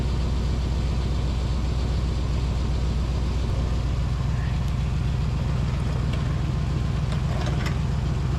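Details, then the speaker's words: 2000 Chevrolet K2500 Silverado 3/4-ton service truck V8 idling after a new converter flange gasket: a rapid puffing tick rides each exhaust pulse. Exhaust is still leaking at the catalytic converter flange, where the gasket wobbles. "right here's our flans oh no we still got a leak right here darn it right through here and look this gasket see gasket kind of wobbles"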